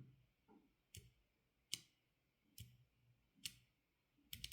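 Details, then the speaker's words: Kailh Choc low-profile switch shaken by hand: the non-lubed switch gives sharp, bright, undamped rattling clacks about every 0.8 seconds, while the lubed one is silent. The switches are for a ZSA Voyager keyboard. "there is a rattling noise and this one is completely silent"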